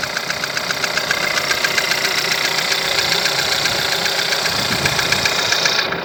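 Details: 1.4 TSI engine at over 170,000 km, timing chain recently changed, no oil consumption. Fast light ticking knock, about three to four per second, over a steady idle; source unclear.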